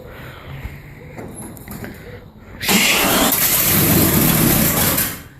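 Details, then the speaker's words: 1973 Nova SS, first start of a freshly rebuilt 383 stroker small-block V8 (Muncie 4-speed), no exhaust fitted; after cranking it catches and roars into a harsh, raw, very loud crackling blat straight from the headers. "There's no exhaust. It's coming right out of the guts."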